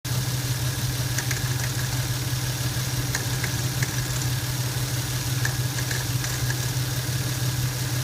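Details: Lexus SC300 at idle: light metallic rattle, about three per second, from front of engine bay; cause unknown.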